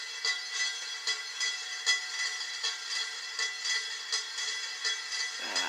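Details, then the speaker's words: Beat-up Harbor Breeze Lansing ceiling fan with warped blades, running on high: light metallic clicks about twice a second, like something loose rolling inside the motor. Cause suspected, not confirmed. "There's something in there hiding in that motor. If I turn it on, what would happen? Yeah, listen to that. The sound of that thing rolling in the motor."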